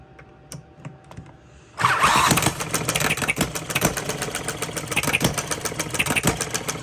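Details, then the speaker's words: Small Coles engine starting up, flywheel loosening from shaking; silence, then it pops into life with rapid, fairly even firing, slightly uneven; starts right up, owner 99% pleased, normal running. "I'm pleased with the way, I'm 99% pleased with the way it's running. It does start right up."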